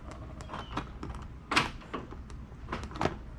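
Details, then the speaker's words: 2012 Nissan Sentra rear door lock actuator after replacement, which previously made loud noise: crisp clunks and short clicks with no buzzing or grinding; actuator working normally. "as you can see no more noise on the car at all just a regular alarm and that's it"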